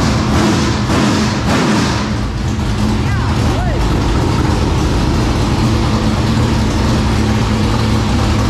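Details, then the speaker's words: 465 cubic inch V8 race engine, first run after three years: loud, deep, even rumble with no misses or knocks; normal running. "that thing got some long legs you better take your wheelbarrow now it runs"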